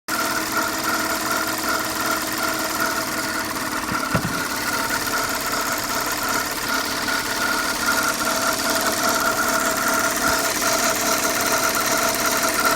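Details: 2005 Audi A6 C6 at idle: an uneven tick about two or three times a second over the engine drone. The owner asks what this extraneous noise is; the source is unclear.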